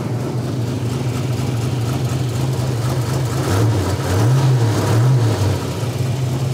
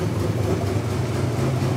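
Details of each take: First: 1986 Buick Grand National turbo multi-port fuel injected engine, first start after over 20 years sitting, in park: steady idle with light revs, valve train sounds great, oil pressure built immediately; normal running engine. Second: 1986 Buick Grand National, factory turbo, multi-port fuel-injected, first start after 20+ years sitting, in park: a deep, steady idle, slightly rough. Valve train sounds great and oil pressure built immediately.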